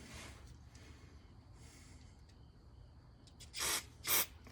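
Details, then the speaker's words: Ford 302 fuel injector (Bronco) bench-tested, solenoid actuated, to fix hit-and-miss idle: two short sharp hissing sprays, cleanly cut off; good atomization, good injector. "Hopefully you can see it spraying out here. Don't worry about what's spraying out here. What I'm looking for is what sprays out here. This atomizes real nice. So that's a good injector."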